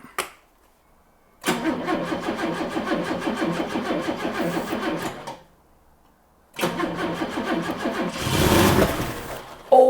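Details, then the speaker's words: Late-1980s turbo-converted four-door barn find not driven in decades, on jump pack: long stretches of even starter churning, no catch; cranks, no start, no seized pulley. "it's um it's returning I can hear it returning it's turning over for ages without firing at all"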